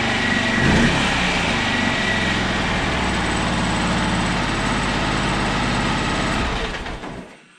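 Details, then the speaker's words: 2008 Arctic Cat 650 XT, sat three years with a new starter fitted, first start from a glovebox button: catches quickly, settles into a steady, even idle with no misses or knocks, then shuts off; normal start and idle. "but to my surprise check this out guys she starts right up first start with my button in the glove"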